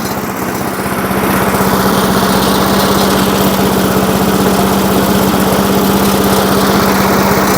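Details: 1980s Firestone 22-inch mower after about 20 years of storage, warming up after the carburetor speed adjustment and smoking a little, which owner expects to clear with heat: rough first second, then a steady, even putter. Normal running while warming up.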